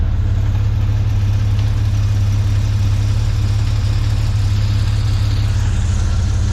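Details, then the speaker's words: 1981 ZJ Ford Fairlane Sportsman Crossflow 250 six after exhaust upgrade: deep, steady burble with even six-cylinder beat, no misses, knocks or ticks; more torque, needs less throttle; normal idle. "I love how she sounds now. Sounds like a real car. These Cross Flow 250s sound really, really good."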